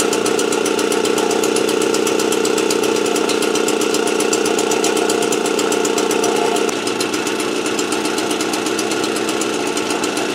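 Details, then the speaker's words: Motobécane AV89 two-stroke moped after ignition repair and correct-thickness head gasket, warming up before retightening head and exhaust: steady even buzz, clean unbroken rhythm, no knocks or misses; running healthy. "Donc voilà, la 89 fonctionne."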